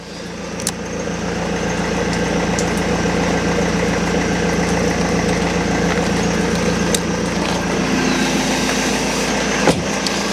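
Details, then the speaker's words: BMW E46 Touring diesel after a straight-up start: steady idle with even clatter, no knocks, misses or odd noises; earlier high-pitched inline pre-supply pump noise no longer heard, engine sounds healthy. "Engine sounds sweet. You're just not gonna die, are you?"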